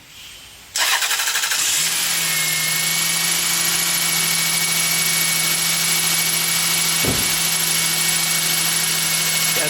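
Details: 2000 Toyota Sienna, 207,000 miles, towed in for no start from a dead battery, after battery replacement and terminal cleaning: starter spins briefly, engine catches and settles to a steady even idle; healthy start with good cranking speed.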